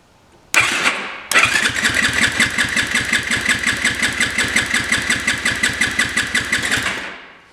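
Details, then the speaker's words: Yamaha YFZ 450 compression test, cranked by screwdriver with the throttle open: strong, even pulses near three per second. Reads about 120 psi, pretty good given its decompression mechanism; good compression while cranking. "About 120 pounds of compression. That is pretty good."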